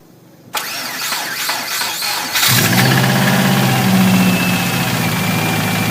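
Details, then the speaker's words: Subaru Impreza, naturally aspirated, mechanically tuned, after hard driving possibly overboosting: starter whirs, engine catches and idles with rapid steady tapping; deep bottom-end noise, owner suspects rod knock or bent rod. "the noise sounds very bottom and it sounds like Rob knock or possibly even a bent rod"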